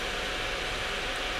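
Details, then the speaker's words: Asus Strix GTX 1080 graphics card: loud, constant rushing air at unchanging pitch as all fans run at maximum, because the rear fan's worn bushing has slowed it and the card speeds the others up to compensate, ignoring Afterburner settings. "Aparentemente, como detecta que uno de los ventiladores está andando a una velocidad inferior, sube la velocidad de los otros al máximo para compensar."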